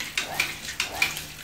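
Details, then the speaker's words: Household water pump short cycling with the tap opened wider; rapid clicking four to five times a second over a water hiss. Cause: the pressure tank has lost its air or nitrogen charge (rated 0.9 kg/cm², about 0.9 bar), held by an internal diaphragm. Fix: replace the tank. "Nah, udara di dalam ini kalau hilang itu maka bunyinya akan cetak-cetak seperti ini."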